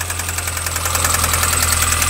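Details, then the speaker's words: MINI One R50 1.6 16v 90hp, restarted cold, hard to start first time, warming up: sharp metallic clatter about ten ticks a second over idle; slack timing chain from hydraulic tensioner, injection ruled out. "ça écoutez le bruit en régime est pasable il m'a dit W c'est un bruit métallique donc là là nous sommes sur un bruit métallique"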